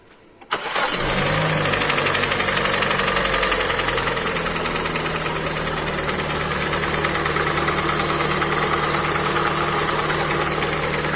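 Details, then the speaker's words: Hyundai i40, 150k mileage, at idle: hollow uneven metallic piston knock at idle speed; endoscopy shows severe scoring in cylinder three, metal powder in oil, block to be sleeved and pistons replaced. "слышен стук поршней эндоскопия показала Загира очень сильная будем гильзовать блок менять поршню"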